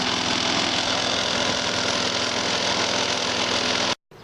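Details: Lawn mower after repair with a new air filter and spark plug, old gas drained and carburetor bracket refastened: steady, high-pitched buzz with no stumbling or hunting; it runs cleanly.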